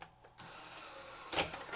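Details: Sony SL-HF400 Super Beta HiFi VCR after mechanism switch repair, power reapplied after tape ejected: short motor whirr and a couple of crisp clunks as the mechanism initializes cleanly; working properly.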